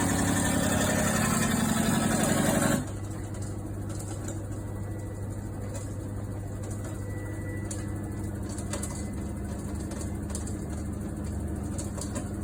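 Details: Washing machine: loud churning, then a quieter run with a steady light ticking about four times a second, like something loose tumbling in the drum; possibly an item left in a pocket, not confirmed.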